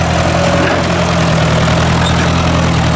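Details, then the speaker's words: Ford 800 tractor pulling a disc after about 15 minutes of running: deep, steady, even exhaust beat with no skips or surging, now running smoothly. "About the last 15 minutes, it's been running just like a top."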